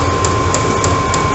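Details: Chinese 12V eBay diesel heater in an off-grid garage, run off a 12-volt battery, ramping up with fan getting louder: steady fan rush, thin whistle and light pump tick about three per second; running normally, louder on recording than in person.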